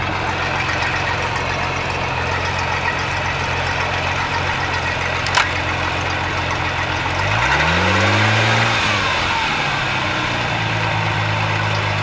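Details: Mercruiser 4.3 V6 in Genesis boat, after replacing bad starter and rebuilding carb for a no-start: idles evenly, smooth rev and drop back to steady idle with no stumble; normal idle and revving.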